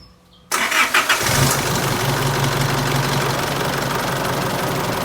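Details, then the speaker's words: Isuzu All New D-Max 2.5 VGS diesel on first start of the day: cranks, catches and idles with a loud irregular ticking from the suction control valve solenoid instead of an even tick; faulty SCV, replaced afterwards. "แต่แต่ที่น่าได้ยินนะครับก็คือเสียงโซลินอยด์เนี่ยเขาลั่นเลยนะครับแล้วก็ทำงานไม่เป็นจังหวะเลยนะครับ"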